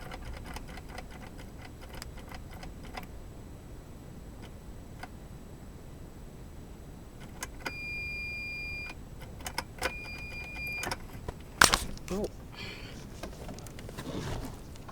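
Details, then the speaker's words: Geo Metro three-cylinder on weak jumper packs, 65°F: only faint light clicks from repeated key turns, no cranking; owner fears a bad starter, cause undetermined. "it's doing absolutely nothing and the key barely even clicks that power"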